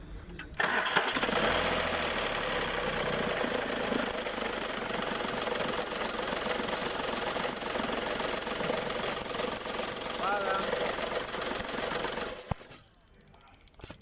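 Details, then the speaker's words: Skoda Fabia 1.4 TDI, belt removed: engine runs with fast uneven knock about three or four a second over idle from worn belt tensioner and alternator pulley, alternator itself also noisy; earlier squeal worsened after replacement was postponed. "ese golpe ruido y lo que pueden escuchar no es el motor es de aquí mismo de este sector como nos damos cuenta ya hemos retirado la banda"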